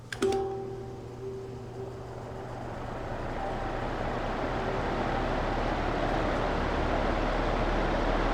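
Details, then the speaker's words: Vintage Patton high-velocity air circulator fan after motor removed, stator bearing boiled and internals cleaned: start-up clicks, then smooth steady rush of air over a low even hum, no rattle or grind; much quieter, blades slightly unbalanced. "oh my God it's so much quieter now funny so much quieter still able to blow a heck of a lot of wind"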